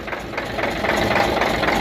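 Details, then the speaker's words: Hino Euro diesel truck, injector cut-out test at idle: rough uneven idle with irregular knocking pulses, only cylinders 3, 5 and 6 firing, the rest dead; misfire on several cylinders. "इसमें अभी जो काम कर रहे ना वह तीन नंबर पांच नंबर छह नंबर ठीक है यह काम कर रहें हैं बाकी काम नहीं कर रही है"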